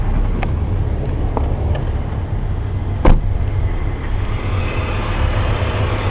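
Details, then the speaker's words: BMW M54 inline-six at idle, under hood after engine bay degreasing and wash for oil-leak checks, AC working: low, even hum with no knocks or ticks, apart from one brief click; sounds smooth and healthy. "And everything is okay. There's no weird sounds or anything like that."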